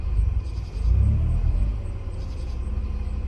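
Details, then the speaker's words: 2004 Mazda RX-8 manual, barn find unstarted for 2 years, just started with no exhaust mid-pipe fitted. On letting off the gas, the deep rumble dips and surges as if dying, then settles into a steady idle: unstable idle with issues still to resolve. "Okay, I let go. First it was like acting like it's dying, and now it's just staying alive. So I still got some issues to work out, you know, with this car, obviously."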